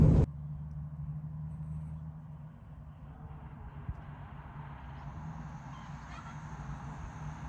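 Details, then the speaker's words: Dodge Challenger on jacks in gear after breaking third gear around 3,500 rpm: steady low hum with a faint rough edge from the rear end, not the transmission; damaged rear differential gear set. "so i got the car jacked up inside the shop and you can definitely hear the noise now i've got it in gear and the good news is that it is actually coming from the rear end and not the transmission"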